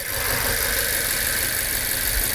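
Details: Idling car engine, pressure transducer in the dipstick tube for crankcase pressure testing, with an uneven, stumbling beat in its low thump: a misfire at idle.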